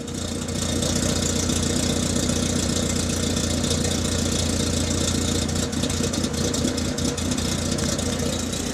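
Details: Citroën Saxo petrol engine after fixing misfire by cleaning fouled, oily, fuel-soaked spark plugs: steady even idle with no stumbles or missed beats.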